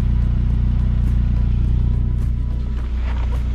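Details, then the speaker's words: 2002 Saab 9-3 Convertible at idle after a home repair of an exhaust leak at a rusted center muffler: steady even low pulse, no puffing or ticking from the joint; sounds solid and quiet, though the fix is not expected to hold. "but we don't have any exhaust coming from there it sounds like it all sounds pretty solid and quiet down here at the moment"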